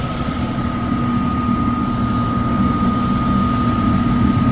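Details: Likely downstairs furnace unit, complaint of fan not turning on: blower motor runs rough with a constant loud rumbling drone and high hum, shaking; tech suspects overamping and shutting off, and will check rated amps and capacitor.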